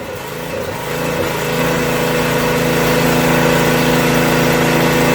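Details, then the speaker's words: Craftsman rear-engine tractor, 13hp Tecumseh OHV single, after valve repair and governor spring moved down one hole: climbs to a steady, even beat about four pulses a second and holds speed; running properly, problem seemingly solved. "all right we can let it cool down i'm going to test it one more time seems fine i think we solved it"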